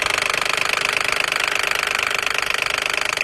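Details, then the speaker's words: Toyota Crown after start-up: rapid even ticking; suspected clogged oil filter screen or sticking VVT solenoid valve, engine internals found rusted, blamed on the oil used at servicing; could cause timing to jump teeth if unrepaired. "很多人问同样哒哒的异响呢，一般要检查哪里呢？就是一般是这个滤网异响，这个滤网呢是装在这个位置，看过来这里，这有个螺丝啊，它装在里面有个滤网，还有这个电磁阀，如果电磁阀发卡，然后它只能开到一半的话，这种情况呢也可以造成发动机启动或者它加油的时候哒哒哒的异响。"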